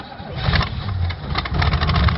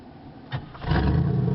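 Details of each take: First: 1986 Oldsmobile Cutlass Supreme, 305 ci Chevrolet V8, cold start after about 60 days parked on a recharged battery: starter churns about three beats a second for roughly four seconds before catching; extended cold cranking, and a dead cylinder cutting in and out is then suspected. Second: 1986 Oldsmobile Cutlass Supreme, 305 ci Chevrolet V8, warm restart after its first run in 60 days: brief starter whirr, then catches at once into a deep even rumble; normal warm start, though a tune-up is probably needed.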